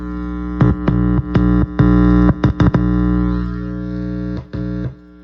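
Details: Sterling by MusicMan Ray 34 bass with stock preamp through an amp: steady hum with sharp crackles and dropouts when the metal parts are touched. Cause is a loose ground wire; grounding it to the jack's ground wire removed the hum.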